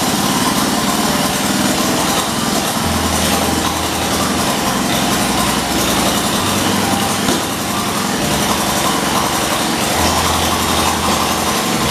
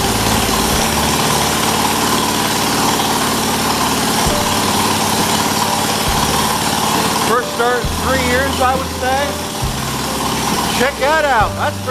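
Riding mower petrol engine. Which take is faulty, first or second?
first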